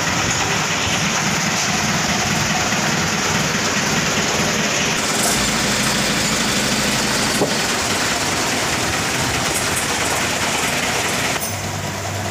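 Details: Mitsubishi Colt Diesel FE 1981 truck, new direct-injection 100PS block replacing indirect original, no glow heater, freshly started: loud, steady idle clatter with an even beat, no stumbles or hunting; slight hose leak fixed by tightening the hose clamp.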